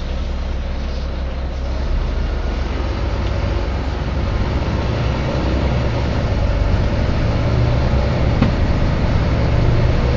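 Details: Volvo B9TL / Wright Eclipse Gemini 2 double-deck bus, First West Yorkshire 36257, filmed 2013: deep, steady hum under engine and road rumble, holding as the bus drives; the source is unclear.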